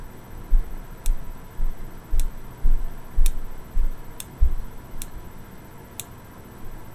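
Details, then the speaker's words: Boyer analog ignition box bench test with a 12V Bosch coil from an SR600 single: crisp single snaps about two per second, no doubled sparks; behaves far more predictably than the worn Lucas coil, box working properly. "now we're going to take our spark plug lead and we're going to test the spark of the Bosch coil and no matter how hard I try I'm only getting one spark double spark there"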